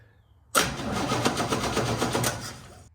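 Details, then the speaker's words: 1969 Chevy C10 inline-six that sat about nine months. It starts after a long wait but not after stalling. On a remote starter it cranks about four turns a second for two seconds and never fires. No start; the coil is suspected and being replaced. "Nothing at all. I actually think I am going to replace the coil."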